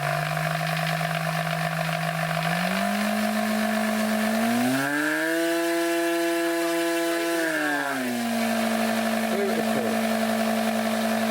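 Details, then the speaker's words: RC model (Robbe P51 / Thunder Tiger glider) brushed electric motor after reassembly: whine climbs, holds high pitch, winds down with slight uneven bouncing from armature end float typical of brushed motors. "Yeah, there's a little bit of end float because of brushed motor. Yeah, and that noise you hear when it's running is that bouncing."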